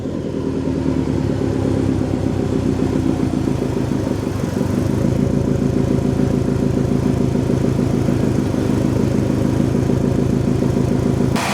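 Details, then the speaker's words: Subaru STI flat-four after four months of winter storage and a jump start: steady, even burble at low idle around 500–700 rpm with a couple of light revs, oil pressure normal, no knocks or misses; engine sounds healthy. "our oil pressure is back down to normal idle because our idle is back down to right around 500 i think it's around 700 actually it's set too"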